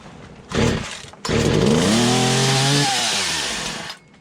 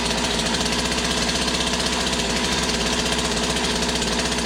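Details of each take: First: Poulan 2150 chainsaw, first start after fitting a new cylinder and piston, primed on full choke: brief pull, then it fires and revs unevenly up and down before dying; carburetor needs adjustment. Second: Poulan 2150 two-stroke chainsaw after carburetor swap, new cylinder and piston fitted, idling on first warm-up heat cycle: steady, even burble with no hunting or stumbling until switched off; healthy idle.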